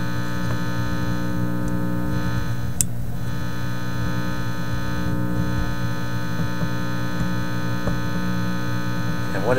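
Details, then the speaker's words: Teletone 67-600E record player amplifier after a grounding change: a constant low, deep hum from one channel, then the other channel sounds exactly the same, so the mains hum persists in both and its source is still unfound. "there Comes The Hum coming out of this Channel and now the other channel that sounds exactly the same"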